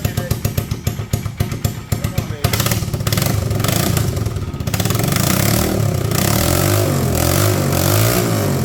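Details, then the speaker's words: 1999 Polaris Sportsman 335 first start after valve guide replacement and new gaskets, fuel switch changed between tanks; hard-working starter churns through uneven firings, then the single catches and settles into a steady thumping run that picks up with throttle. "That starter is working really hard. It's running."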